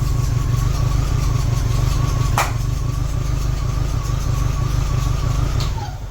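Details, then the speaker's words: MGB, just after first start following ignition rewiring: steady low engine beat with a faint tone rising and falling on one throttle blip; starts and keeps running normally. "It runs, baby. Yeah. That did it."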